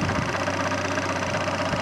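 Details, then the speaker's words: Fiat Cinquecento small petrol engine idling just after first start-up; busy, rattly chatter over a steady hum that goes quiet once the clutch pedal is pressed and fades as it runs; worn clutch release (thrust) bearing. "can hear my uh thrust bearing sounds a bit bad."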